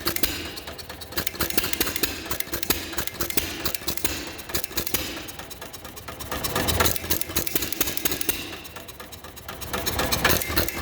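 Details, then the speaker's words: 1933 John Deere Model E hit-and-miss engine with igniter, igniter pulled as possibly flooded: irregular pops with coasting gaps; normal hit-and-miss running. "kind of a fun engine to listen to run just the hit and miss where it pops and chug chug chug chug chug chug chug chug chug chug"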